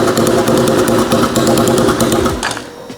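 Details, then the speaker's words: Turbocharged 150cc go-kart engine, first start on an ECU tune made for the old 125cc motor: catches, stumbles through uneven rapid chatter for a couple of seconds, then dies; owner suspects it isn't getting enough fuel, not confirmed. "So likely the reason it won't run and start at the moment is because it's not getting enough fuel into the motor."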